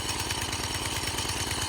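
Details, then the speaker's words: 1987 Craftsman tiller, single-cylinder, revived after sitting 20+ years, warming up at idle with a replacement carburetor. Steady, slightly uneven thumping with black smoke. Running rich; the factory jet in the new carb is too big. "Yeah, it's definitely rich, as you can see on camera, but it's got some black smoke coming out of it, so it's definitely rich."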